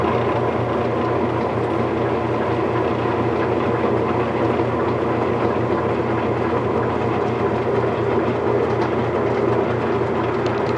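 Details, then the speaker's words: Whirlpool direct-drive washer after motor coupler replacement, lid switch bypassed, dial on spin: smooth steady spin hum with even rhythm, no knocking or grinding; spins normally. "we've put the dial over to spin and we're going to go ahead and do that and this should start spinning just like it always did"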